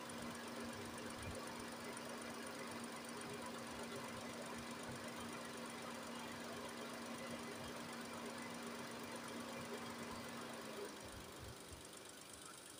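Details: Nissan Almera after replacing the radiator fan motor and topping up coolant, first start: quiet, even idle with a light steady tick in the background and no stumbles; engine running normally.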